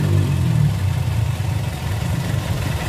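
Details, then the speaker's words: 1994 Toyota Kijang Super G 1.5, original engine, already warm from running: deep, steady low rumble at idle, no knocks or ticks, smooth and even throughout; healthy engine. "Nah untuk suara mesinnya seperti ini ini asli juga tadi nyala belum kita matikan kalau mesin saya anggap ini mesin juara suaranya masih halus"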